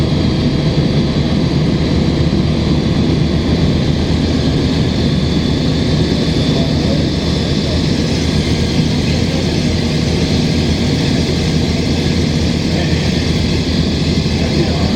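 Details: 2005 Gillig Phantom 35 ft bus, Cummins ISL diesel with Voith D864.3E, on a summer ride: loud chuggy rumble with rough low pulsing from an exhaust leak, under steady HVAC hiss.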